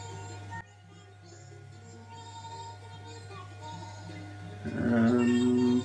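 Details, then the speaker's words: Hitachi TRQ-134D 8-track recorder under repair: music plays high-pitched and rushed at roughly double speed because the tape head stays engaged on the tape during fast forward. "The tape head doesn't come away in fast forward, so it's now just going fast."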